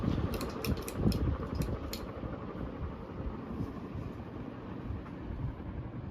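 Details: 1978 Dayton/Lasko ceiling fan with Sanyo motor and freshly replaced bearings, on medium speed: soft, even rush of moving air with no grinding, rumble or ticking from the bearings; normal running on medium.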